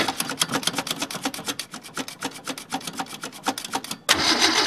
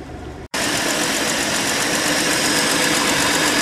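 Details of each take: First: Ford Falcon sat all winter, battery put in, gas dabbed in, fuel cell: even starter chug at about three strokes a second for four seconds, then a sudden roar as it catches; extended cranking before start. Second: Old Ford Falcon with points ignition, started after sitting through winter, settles after a brief dropout into an even, steady idle hum with no knocks or misses, smooth as a sewing machine; normal idle.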